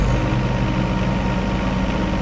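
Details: John Deere 1025R tractor diesel after replacing the main fuel filter under the floorboard: even, steady idle with a smooth low thrum and no surging, hunting or misses; normal.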